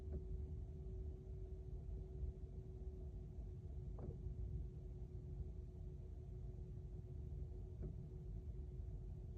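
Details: BMW EV during DC fast charging: a steady high cooling-fan drone with a faint dull clunk roughly every four seconds; the owner says the car is not capable of super fast charging and calls it unsafe, but the cause is not confirmed.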